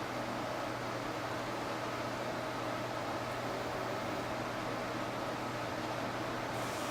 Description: I notice "clean head" or auto system maintenance trigger this "hissing sound" that lead to error counter reset.